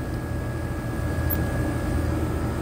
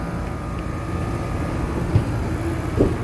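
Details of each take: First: Condenser fan motor running with a steady low hum while the compressor only buzzes and never starts, on a no-cooling call in 100-plus-degree heat; compressor suspected dead, but a burnt wire connection was keeping it from starting; system also low on refrigerant. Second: Steady low hum from the outdoor unit, compressor and condenser fan running evenly without knocks or hard starts, cooling again after repairing a bad connection that had stopped the compressor starting; system noted low on refrigerant.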